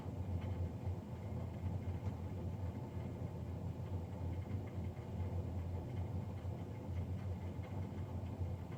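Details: Navien NCB-240 boiler recorded Feb 3, 2020, three days after a Jan 31 service: constant loud roaring drone, steady pitch, no knock or rhythm; combustion blower noisy, cause unknown.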